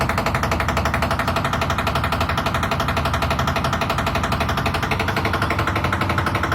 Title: IFB Washing machine making noise 10kg aqua